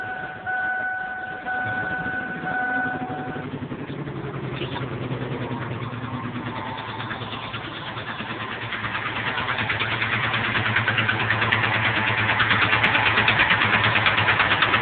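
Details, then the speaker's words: 1997 Ford F-150 XLT five-speed, 124,000 miles, loud knock from the passenger side even after a tune-up: steady sharp knocking that quickens as the engine is revved; drives and idles well. "and every time I accelerate the sounds get just as fast gets faster"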